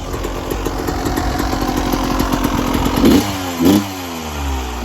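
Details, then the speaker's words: 1996 Yamaha YZ250 two-stroke, cold start at about 13 degrees: crisp steady idle with clean throttle blips rising and falling smoothly; runs fine, still cold. "Take it off. Already sounds good. Still a little cold."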